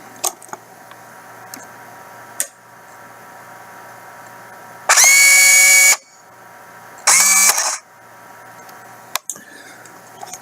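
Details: New replacement drive motors in an ICT 6 series bill acceptor. Two short, clean high-pitched whirs of about a second each, smooth with no grinding; a healthy motor running normally.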